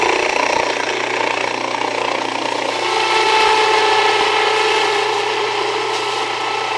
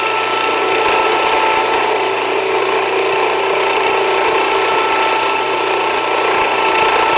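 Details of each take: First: Jiffy Precision Mill, US-made electric steel burr grain grinder, with the burrs set very fine; motor hum with a hard rasp that deepens and strains as grain feeds, grain reluctant to pass; setting backed off, coarser grind then regrinding suggested; mill labouring on too-fine burr setting. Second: Jiffy Precision Mill, a simple US-made electric steel burr grain grinder, grinding grain fed slower with the setting backed off slightly; steady whirring grind with a fine gritty rasp at an even level. Normal grinding, and the mill is only warm afterward.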